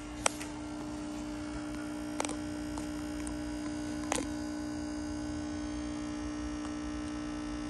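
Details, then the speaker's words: Eico HF-81 6BQ5 tube amp: loud, steady buzzing hum from the transformer and speaker, which the owner thought was a bad transformer; one of two tube rectifiers and the first filter capacitor were left unconnected by a kit-building mistake. "there is a loud humming coming out of the Transformer and the speaker the owner Steve thought that it had a bad Transformer"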